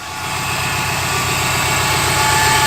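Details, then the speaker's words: Subaru WRX idling: engine runs evenly with a thin steady high whine holding pitch; owner suspects the clutch bearing, not confirmed. "The Subaru has been making this whining noise. I'm not sure what it is. I'm thinking it's the clutch bearing, maybe."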